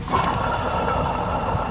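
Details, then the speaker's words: LS 5.3 Tahoe, leaking squeaking water pump replaced: steady gritty rumble with faint whirring from the old pump's failed bearing; other pulleys, including idler, also noisy. "Bearing's gone in there. Done deal."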